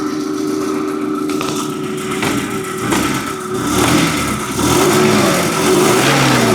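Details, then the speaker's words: Forklift engine with coil-on-plug ignition, just after replacing the corroded number 3 ignition coil, with the check engine light now off: steady, even note with smooth revs and no stumble or miss. Running normally after repair. "Purrs like a kitten."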